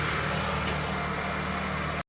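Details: 2010 Honda Civic EX started right after an oil and filter change, oil light off: smooth, even low hum with a steady beat and no knocks or ticks; clean, healthy idle.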